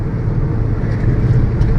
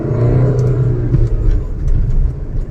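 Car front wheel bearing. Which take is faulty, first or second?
first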